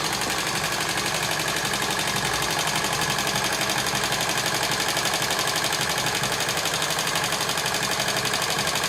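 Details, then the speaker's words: TVS XL100 (Super XL 100cc) kick-started, before tappet adjustment: a fast, even ticking rides over the idle and keeps pace with the engine. Noise comes from loose tappet adjusting nut screws under the side head cover. "కర్ర sound వస్తుంది కదా, ఆ sound అనేది ఒకసారి గమనించండి friends. ఇంజన్లో మనకు different sound అనేది వస్తుంది."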